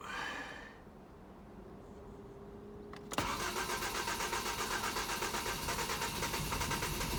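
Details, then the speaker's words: 2005 Ford Mondeo LX that was burning oil, started after an attempt to free suspected stuck oil rings: brief crank, catches and settles to a steady, even idle, no smoke, much smoother; normal start-up. "Seems to have fired up okay. No smoke yet. Sounds loads smoother."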